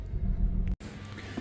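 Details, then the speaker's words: 2012 BMW 335i F30, no-start after car wash, running with one ignition coil missing: low uneven rumble with lumpy loping idle beat; one cylinder misfiring from disconnected coil, rough running. "it's obviously uh misfiring I'm I'm missing that coil Al together but the vehicle is running although although rough"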